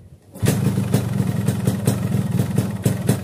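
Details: Yamaha RX King two-stroke motorcycle with a hidden anti-theft alarm/kill switch wired in: catches on the kick and settles straight into a steady, even idle with regular popping exhaust; healthy start.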